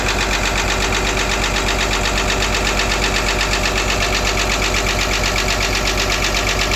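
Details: Caterpillar excavator diesel engine at steady idle with a sharp, regular ticking knock of about 160 per minute from the rear (back) compressor area; abnormal knocking noise, cause unknown.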